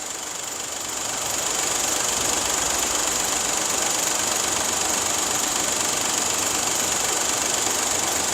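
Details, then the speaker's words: Engine at cold start, with vibration sensors on the high-pressure fuel pump, CVVT, rear of head and block. Sharp fast ticking loudest on the high-pressure pump channel, sometimes dropping out then returning; mechanical high-pressure pump fault, expected to fade when warm. "지금 냉간시에 냉간시 딱 봐도 고압펌프가 1채널이잖아요 젤로 크죠 이게 이제 냉간시에가 크니까 열 받을 때까지 참 기다려 보자고요"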